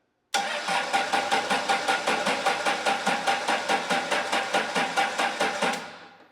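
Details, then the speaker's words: Case 1840 with freshly rebuilt Cummins diesel (new rings, bearings, valve job, rebuilt injector pump, pump timing 12 BTDC) cranked via jumper switch on truck and 200 A jump pack; steady two-and-a-half beats a second, even strokes, so compression judged fine, injectors or pump timing possibly suspect. "So yeah, it sounds basically like it did right after I had put it back together and before I took it apart. So I don't think I have a compression problem."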